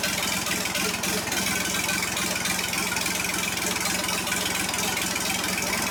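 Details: John Deere 350B bulldozer, freshly rebuilt diesel engine reinstalled: steady low idle with regular, even diesel patter and some hiss on top, smooth with no knock or stumble; normal idle.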